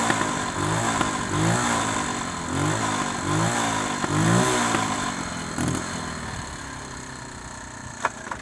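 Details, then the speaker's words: Honda ATC 110 barn-find ATV after carburetor cleaning, riding with no choke, possibly still cold: revs surge then sag and hesitate when throttle opens; bogs under full throttle, owner suspects float bowl or needle valve. "alright guys as you can see it runs and rides with no choke on although you heard it bogging down a little bit I'm sure the thing when I hammer on the gas full throttle it would bog down so I've still got something to work out here"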